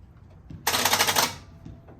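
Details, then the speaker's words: 1968 Pontiac Firebird project, first start attempt after sitting: rapid machine-gun clicking for about half a second with no cranking; starter solenoid chattering from a poor ground, which was then moved to fix it. "it's my ground I got to fix that"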